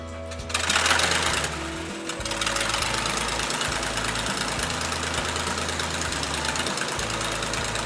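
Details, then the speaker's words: Navion aircraft engine's first start of 2019 after a year in winter storage, outside the hangar: steady, even drone with smooth firing beat, no knocks or misses; started like a clock, normal running. "en tout cas il a démarré comme une horloge après ces petites hibernation là depuis une année"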